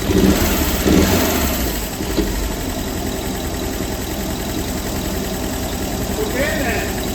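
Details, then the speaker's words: Audi TT Roadster with 225 hp engine, auction car without key, started despite immobilizer: rough first seconds, then steady even idle, no knock or miss; motor good. "Well, that's all I needed to know. This car is garbage. The motor's good."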